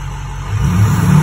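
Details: 6.0 Powerstroke diesel with a faulty ICP sensor; starter had randomly hit the flywheel until add-on wiring was unplugged; low, smooth note rising steadily with revs, no starter grind or stumble; normal running.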